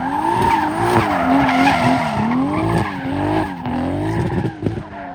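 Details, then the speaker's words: 2JZ-swapped BMW E36 drifting with tyre squeal: note wavers and stumbles unevenly as revs rise and fall, misfiring under load in first and second; AFR jumping, running rich, owner suspects it needs a retune. "As you can hear, it's still running pretty bad."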